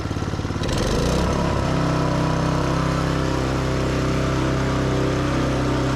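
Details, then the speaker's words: Yamaha YS624T snow blower after starter repair and carb cleaning, throttle pinned, should rev about 4000 rpm (not yet confirmed with tach): steady, even high drone at constant pitch; normal full-throttle running. "Supposed to rev at 4 Gs. I'll have to put a tack on it to confirm, but it sounds like it is."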